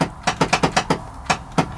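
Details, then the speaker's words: A 2018 Cub Cadet Challenger 750 UTV with 201 hours, cranked with a foot on the brake, gives only sharp, evenly spaced clicks about six per second with no cranking or firing. The previous owners thought it was locked up; the cause is not yet known. "So put your foot in the brake and you crank it and it just clicks. It's not doing anything."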